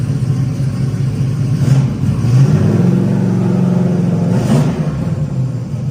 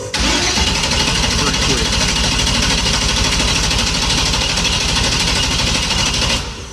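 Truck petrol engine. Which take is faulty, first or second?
second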